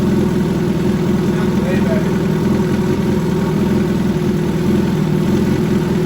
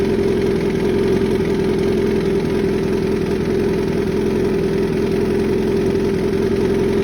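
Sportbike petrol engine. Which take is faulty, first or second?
second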